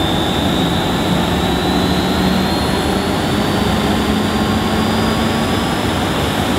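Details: Refurbished Hoover S3716 Sensotronic 1000 vacuum cleaner with a dirty bag fitted, first switch-on: an even, steady rushing roar with a faint constant high whine. The motor sounds healthy and runs smoothly.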